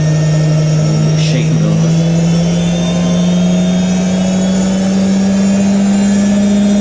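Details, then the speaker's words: IKEA RENLIG IWM60 integrated washing machine, newly acquired, on its first Cottons Standard 60°C cycle: a steady hum rising as the drum spins up through 450, 650 and 850 rpm, with a rough gravelly edge from the motor bearing. "creting quite a nice effects that sound of the motor bearing"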